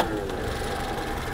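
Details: 1976 Reliant Robin van, freshly fitted fuel pump, started again after a drive: steady, even idle with a smooth unbroken note and no knocks or misses; engine running healthy.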